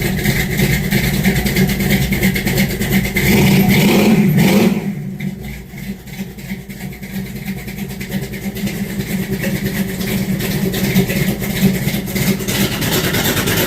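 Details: Charger with a new A&A valve body, fired up after sitting a while: strong even idle and clean rev that rises and settles smoothly, no knocks or misses; engine running healthy.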